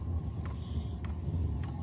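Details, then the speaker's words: Happybuy 5kW diesel heater in a trailer build, first start: low steady burner rumble with a soft roar, no popping, warm air from the exhaust, fuel pump and heat-exchanger fan ramping up; normal combustion. "combustion i should say not burning but combustion and there's definitely hot air coming out of the exhaust it's warm but it's definitely warmer than it was but it's not hot yet"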